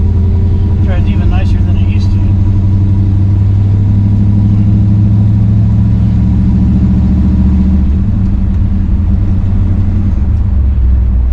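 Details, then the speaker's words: 1963 Chevrolet Bel Air with four-speed, warmed up, test drive after new flywheel, clutch, correct clutch fork and rod to cure chatter; low engine note builds smoothly on take-off with no judder; clutch softer, engages smoothly. "runs pretty good runs pretty good man that clutch is so much softer than it ever has been i really think that geometry is just completely fixed"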